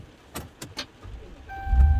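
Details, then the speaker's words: 2009-12 Ram 1500 starting after new key fob programmed with Autel MK808: keys rattle, chime, brief crank and immediate catch into steady idle; normal start. "fires right up and could do the same thing with the other but there's no need to starting and stopping starting and stopping"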